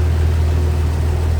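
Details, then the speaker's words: 1953 Chevrolet Bel Air hardtop, inline 235 six, 6-volt system, heard with the hood open at the engine bay; smooth, quiet low hum, no knocks, ticks or misses; a smooth, quiet runner, normal idle. "That is one smooth runner. Quiet, too."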